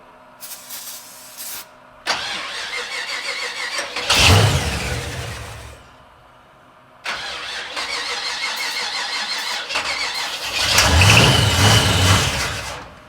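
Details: 68 Chevy C10 with 05 Ford Explorer suspension, project truck, cranked with air filter on: two bursts of steady cranking ending in louder chugging without catching; suspected not getting fuel, then possibly too much fuel; battery possibly low.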